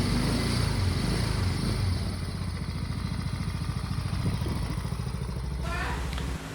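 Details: Mio i 125s scooter, 49,000+ odometer, after 54mm Racing Monkey 132.6cc block upgrade, new valve seals and modified camshaft, recorded on phone: even low putter about three to four beats a second, no ticking or clatter; quiet, stock-like healthy idle.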